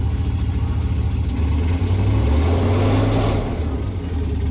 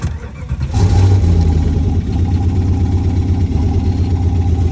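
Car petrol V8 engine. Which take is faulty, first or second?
second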